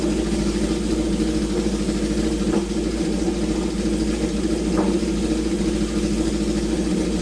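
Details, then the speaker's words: Honda CB750 four-cylinder, left sitting, first start on choke after reviving: smooth even beat with clean throttle blips, no misfire or knock; oil overfilled, leaking from overflow when revved; runs great, normal running. "but hey better to have too much oil than not enough but dang dude the thing runs pretty darn great"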